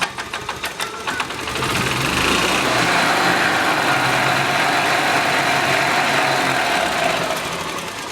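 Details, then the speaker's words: 1996 Melex 512G gas golf cart with added ignition-switched cooling fan: a few cranking chuffs, then the small engine catches and holds a steady, even buzz; starts and runs nicely. "can see that it starts and runs nicely"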